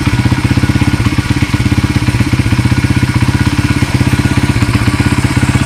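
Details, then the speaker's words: 1994 Honda XR100R single after carburetor rebuild, started with a quick kick: steady, even thumping at a quick idle with no misses or rattles; nice, healthy running. "you guys could hear it it's a nice running bike"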